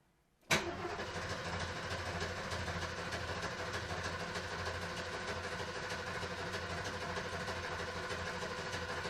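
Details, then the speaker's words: 1973 Ford Maverick 302 V8, first start after sitting two years, on a little added gas with the gauge still on empty. It catches quickly, then idles lumpy and uneven with a loping beat; the owner thinks the ignition timing is a bit off. "i think it's a little bit out of time"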